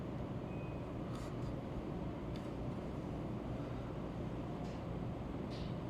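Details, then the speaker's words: VRF HVAC system after discharge temperature sensor repair, outdoor units: steady low hum builds evenly as master and slave condensers start and run, no knocking, rattling or cycling; normal operation. "and you can hear the condenser starter master and slave that's the master condenser that's the slave"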